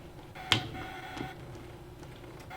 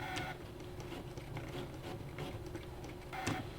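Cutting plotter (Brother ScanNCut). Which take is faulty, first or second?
first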